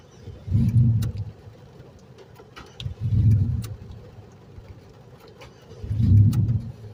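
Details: Engine cranked after an intense storm flooded the streets, said to be extra stubborn when wet: three slow cranking bursts a few seconds apart, never catching. Hard start, prolonged cranking.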